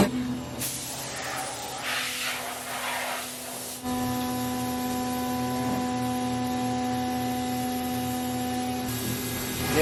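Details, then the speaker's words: Milling a thin laser-cut aerospace bracket with a hollowed-out, unsupported center: a steady singing tone rises over the cut as the tool crosses the middle, because the part vibrates. The planned fix is an 85% cut then a skim cut. Milling chatter. "You can hear it, though. It gets to the middle where there's no support, it's like pushing down. You hear it start singing when it gets to the"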